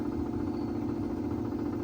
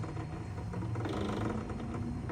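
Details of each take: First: Sony TC-250 reel-to-reel tape recorder from 1966 after installing a new motor run capacitor: quiet steady hum with no wobble or speed change, running at 3¾ and 7½ ips; still a bit noisy, owner plans to oil it. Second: 1966 Sony TC-250 reel-to-reel tape recorder, transport controls worked (play, pause, fast forward, rewind, brake): dry mechanical rattling and creaking with no steady motor tone; the reel brake function is loose and rattles.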